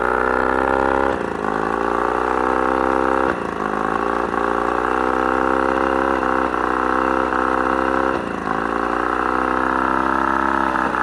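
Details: Mercury 35hp two-stroke outboard at mid throttle, otherwise runs great: steady buzz broken by sudden coughs and speed dips that almost cut the motor off; random intermittent misfire, cause unknown.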